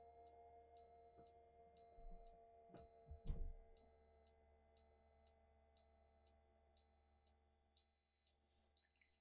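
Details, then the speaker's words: 2024 Newmar Bay Star Sport 2813 motorhome with ignition on, leveling jacks retracting via all-retract: a high beep repeats about every two-thirds of a second over a faint low pump hum; normal operation. "and then instead of hitting the auto level button we're just going to hit the all retract and you can hear the Jacks retracting"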